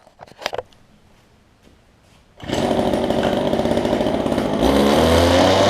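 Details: Relatively old Homelite gas-powered hedge trimmer after primer bulb and fuel line repair: after a pull it fires and settles into a steady, even two-stroke buzz, then revs up cleanly; running normally.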